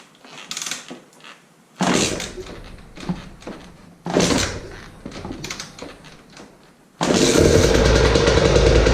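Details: Husqvarna TE 300 TPI two-stroke after winter maintenance and fuel pump filter replacement, kickstarted with cold start on and fuel pump priming: several kicks bring short sputtering bursts, then it catches and holds a steady, crisp idle; healthy.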